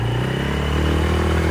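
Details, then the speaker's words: Polaris four-wheeler ATV after repair of a hole in the engine, which previously died when the throttle was mashed, now on a test ride. It pulls smoothly and evenly under throttle with no stumble or cut-out: normal acceleration. "Man, this thing's so fast. Yep, back to normal."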